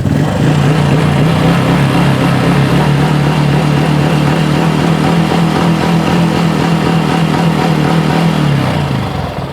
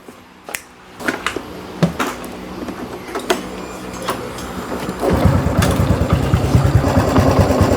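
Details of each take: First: Honda Wave 110i after replacing a bearing that had bound tight because the camshaft bore was machined oversize (S4 cam fitted in S3 head); even, steady idle, much quieter, no tapping or knock, then shuts off; normal idle. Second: Honda Wave 110i S3 head fitted with an S4 cam, machined bearing seat too large so the bearing is pressed tight and binds: engine catches with a quick light metallic clatter over the idle. Fixed by replacing the 6904 and 6001 bearings.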